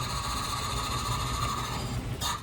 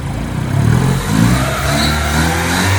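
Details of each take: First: Honda Civic 1.4 iES (D14) just after an engine rebuild for oil burning runs with a steady high whistle-like tone over a rough chatter, cutting off as it stops; an air leak is suspected. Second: Honda Civic 1.4 iES (D14) after a full engine rebuild for oil burning, first start on new piston rings with residual diesel-wash smoke; smooth, even engine note held steady at gentle revs, no knocks or misses.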